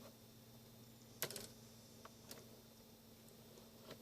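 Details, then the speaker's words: Sony PS-5520 vintage turntable (Dual-style) after servicing: on reject, a sharp mechanical clack then lighter ticks as the arm returns and the unit shuts off. Normal reject cycle; the arm resets properly. "Resets and shuts off. 12-inch. Awesome. It just works."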